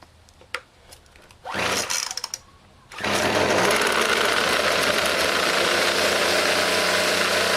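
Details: Craftsman convertible 25cc two-stroke grass trimmer, true cold start with cold spark plug, first run since carburetor work, low on possibly stale fuel; pull-start rattle then buzzy, wavering run that dies out; mixture very rich and smoky.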